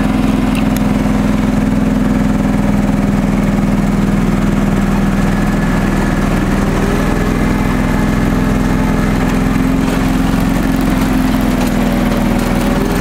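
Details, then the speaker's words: Restored John Deere 445 tractor, fresh hydraulic oil and filter, sharpened blades: engine drones steadily at constant speed with mower deck engaged, smooth whirr from spinning deck, no misses or knocks; healthy. "and I'll turn the mower deck on for you"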